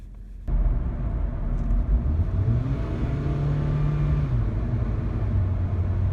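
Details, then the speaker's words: 2006-2011 8th-gen Honda Civic 1.8L at idle, heard inside the cabin: deep, steady droning rumble toward the passenger side, vibration felt through the dashboard and door, no misfire stumble, idle RPM normal; vibration from a worn engine mount. "ent it's more of like a low rumbling noise in the car I can hear from inside the cabin and towards the right side somewhere where the engine would be"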